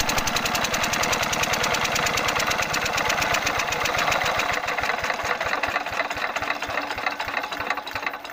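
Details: 5 HP diesel engine (Usha/Kirloskar/Fieldmarshal type) running: sharp, evenly spaced knocks at about 220 per minute hammer over the running note; pronounced knocking, with the injector nozzle adjustment suspected.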